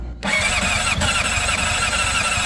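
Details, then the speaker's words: 2005 Honda CBR600RR, about 38,000–40,000 miles, weak battery with booster attached: fast steady cranking with whining starter and uneven puffs as it nearly catches; it starts shortly after, with a little blue smoke. "Oh, it almost hit it. Come on, baby. Might go."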